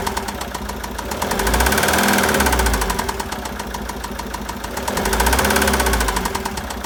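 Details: 2013 Citroën Jumper II (type 250), 2.2 L 4HH diesel, 131 PS, 294,000 km, with a defective cooling system: at idle, a regular knock three to four times a second that swells and fades, from bearing damage.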